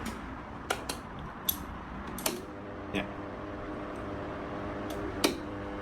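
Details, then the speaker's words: 16-inch wall fan running: steady low hum with irregular sharp plastic rattles every few seconds that stop when the front cover is held; a loose vibrating motor cover. "เนี่ยจะมีเสียงเปิดไปสักพักนะครับมันจะมีเสียงลักษณะนี้อันนี้ตรงๆนะครับ"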